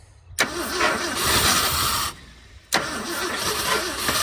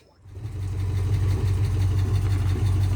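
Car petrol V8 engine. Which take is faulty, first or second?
first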